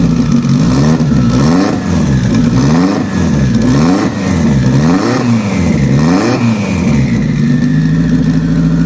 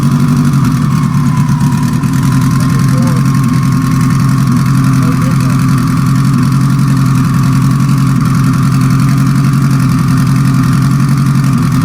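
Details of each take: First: Sequential-transmission car restarted after reinstalling the injectors, one of them treated with penetrant lube to keep it free: repeated throttle blips rise and fall cleanly with no stumble, running evenly on all four cylinders. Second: Four-cylinder car after a sequential transmission rebuild: loud, choppy, uneven idle; unplugging cylinder 4 changes nothing, so it runs on three cylinders, likely a stuck injector that the owner will pull and tap on the bench.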